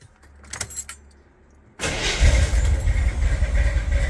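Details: 1978 Corvette V8 running with windowed open valve covers to diagnose cam damage: after the starter catches, it settles into a lumpy, uneven idle with a loose patter. Worn camshaft lobes; a removed hydraulic lifter shows a ground-in face.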